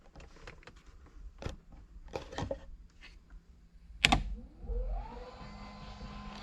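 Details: Car fitted with electric power steering, pump newly wired: after some clicks the motor spins up with a rising whir and settles into a steady hum; pump runs normally, though the welded pressure-side line leaks.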